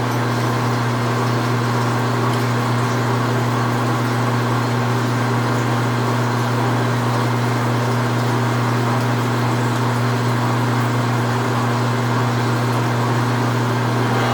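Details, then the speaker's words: Precision Matthews 1640 lathe drilling cold rolled steel with a large drill up to 2-1/2 inch, restarted after clearing a chip: steady low spindle hum holding even pitch under load, no chatter, squeal or grinding; no heat building, sounds healthy. "I haven't been creating any heat. I've been keeping an eye on that. So that sounds good. Hopefully it continues."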